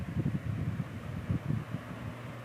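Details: 1950s Canadian Robbins & Myers 12-inch oscillating fan, as found before restoration, first test run on high of two speeds: soft, low, even air whoosh, no rattle or wobble, spins smoothly though not very fast for high; runs normally.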